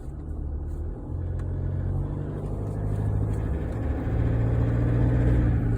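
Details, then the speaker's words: Toyota Hilux diesel, 157,000 km, 7-year-old injectors, driven cold before warm-up: low drone with fast uneven rattle on and off that grows with load; noisier than normal, booked in for injectors, noise fades when warm. "That engine's a bit noisy from those 157K 7-year-old injectors. Yeah, and it's like rattling on and off."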